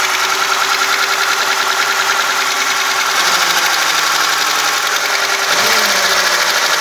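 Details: VAZ 2106 engine idling after a full rebuild, with a light quick ticking about three taps a second from the rocker arms.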